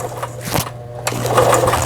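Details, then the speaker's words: Brother Prestige 10, about 25-30 years old, after repair (it had not picked up the bobbin thread, its reverse-button gearbox was tangled and its lamp was out): smooth, even whirr at steady speed, zigzag stitching coming out normally, no knocks or catches. "지그잭 바느질 정상적으로 부드럽게 박음질 잘 돼서 나옵니다."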